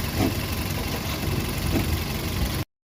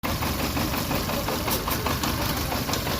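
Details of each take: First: VW Polo Vivo 1.4 CLP engine after replacing the heat-damaged PCV valve pipe and the number 1 coil pack to cure random/multiple cylinder misfire. Steady, even idle, low smooth hum, no stumbles or dropouts: firing on all cylinders, normal idle. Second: VW Polo Vivo 1.4 CLP engine idling unevenly with irregular stumbles and puffs from a lean condition; a heat-damaged, broken PCV valve pipe was found as the cause: random/multiple cylinder misfire at idle.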